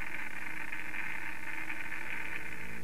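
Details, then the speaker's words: Radiation monitoring instrument's detection head brought right up to a check source of known activity before a site visit: dense, fast hiss of clicks, showing the counter responds and works correctly. "what i do is take a source of known activity bring the detection head right up to that source and as you can hear this one seems to be functioning correctly"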